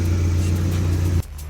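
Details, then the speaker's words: Dodge SRT4 turbo engine after repairs: steady, even, smooth idle with no knocks or misses, running well; fuel draining back to the tank is suspected because it needed extra cranking. "but that's something we can fix it is running and it is running good"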